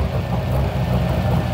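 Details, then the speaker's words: LS-swapped widebody Porsche 911 at operating temperature after oil pressure fix, revved to about 3,000 rpm with 45–50 psi hot oil pressure (25 psi hot idle): steady, even rumble with no ticking, knocking or tapping; engine sounds healthy. "revving it up only to about 3,000 RPM and we're getting like 4550 PSI hot and listen to this engine no noise whatsoever"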